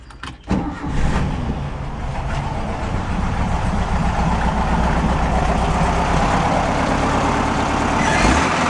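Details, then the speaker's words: Old engine with the front half removed to isolate the noise, warming up: steady coarse rumbling rattle underneath; tapping the muffler gives an internal clunk, pointing to rotted muffler internals. "you tap on the muffler and you hear like a a little internal clunk [Applause] you hear like a little rattle it's in there"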